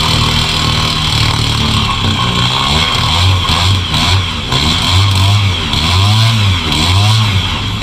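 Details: Newly bought gas outboard for a jon boat, test run: fires and holds a steady low drone that rises and falls a little with throttle. It runs evenly, starts easily every time and sounds healthy.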